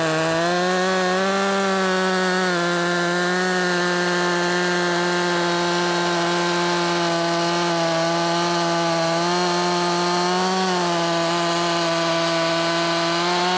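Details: Makita 5600 (Dolmar-built) chainsaw, sharp chain, tuned slightly rich (13,200 rpm free): steady high scream in the cut with slight dips under load; in-cut revs up to 11,000s, mostly about 10,300-10,600; healthy.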